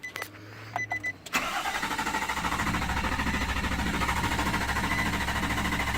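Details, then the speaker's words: 2016 Nissan Titan that started at the body shop but not at home: after a few clicks the engine cranks evenly for about five seconds but never catches; crank-no-start. "we get it home and it won't start again. Won't do anything now."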